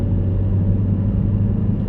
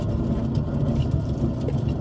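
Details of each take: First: Test drive after replacing a worn rear wheel bearing: steady low tyre rumble at cruising speed with no droning hum rising with speed; normal road noise. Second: Car jacked up, rear passenger-side wheel turning, mic underneath: continuous loud, rough, grainy droning growl, unlike the quiet driver's side; worn rear wheel bearing, with slight weight felt, to be replaced.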